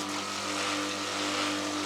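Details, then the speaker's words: Pressure washer cleaning machine, nearly 1000 price class, pump at lowest setting: smooth steady hum with constant low tone, no strain or labouring; pressure gauge in blue zone, pump running relaxed, normal. "Okey, ni paling kecil. Kau dengar tak dia punya mesin? Tak mengerang orang."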